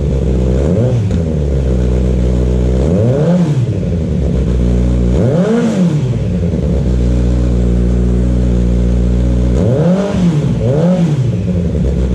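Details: Kawasaki Z900 just fitted with an aftermarket CS Escapamentos exhaust: loud, deep note with clean throttle blips rising and falling smoothly, no misfire or rattle; normal revving.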